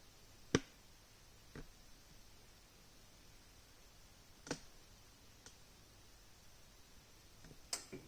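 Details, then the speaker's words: Grundfos UPS2 central heating pump, switched on via boiler demand: quiet room with a few isolated sharp clicks seconds apart and no run-up hum as it tries and fails to start. Sticking circulator pump. "it's now trying to start the poem so do do you'll hear the click so it's click click"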